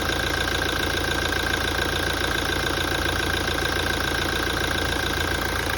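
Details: 2017 Toyota at idle after a major service. A light, fairly even tapping at about three to four times a second over a steady idle: an abnormal knock, cause unknown.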